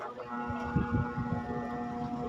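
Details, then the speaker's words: Standard-brand stand fan on speed 1: steady electrical hum as the motor won't turn; it spins only with a hand push and is then very noisy, due to a worn, loose shaft bushing. "ang sira nito maluwag naman to kaya lang pag sinaksak siya lagay natin sa number one Ayan umuugong"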